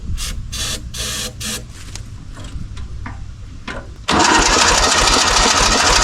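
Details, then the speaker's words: 1970s Kubota L1500 two-cylinder diesel tractor abandoned about 20 years, first start attempt on jump: starter cranks steadily with uneven catches, seems low compression, briefly tries to run and dies; out of diesel. "Yeah, it wants to. It really probably just needs some diesel in it, though."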